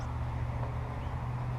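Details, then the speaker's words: Steady loud low drone with no pitch change from the final drive, noisier than expected; owner suspects it needs pans pulled, fluid drained, new gaskets and fresh fluid, cause not confirmed. "real listen to that that final drive I know they're opposed to be a little noisy but that's really noisy to me"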